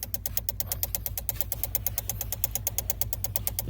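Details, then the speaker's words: 2007 Honda Civic after an engine swap won't crank: fast, even clicking of about nine a second from the main relay under the steering wheel, caused by a spider-like ground left unconnected to the engine head; fitting it fixed the no-start. "oh wait let me get in it won't turn that clicking noise comes from this relay right here"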